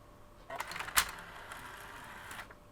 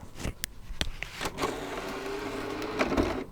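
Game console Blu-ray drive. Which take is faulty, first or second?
second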